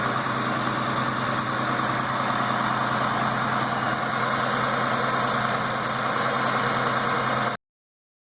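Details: Newly built car engine, all parts new, idling: quick, high-pitched chirps from the inner belt a few times each second. Owner unsure whether the tensioner bearing or the belt is at fault. Belt squeak/chirp at idle.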